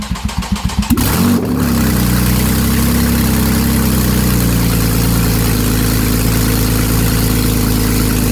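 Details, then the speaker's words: Replacement 3.8 engine in a Porsche 911 Carrera GTS 991.1, first start with no exhaust, no coolant and driveshafts unconnected. Cranking catches at once into a quick flare, then settles to a steady, even idle with no misses or knocks. Healthy start. "So, that's an excellent sign."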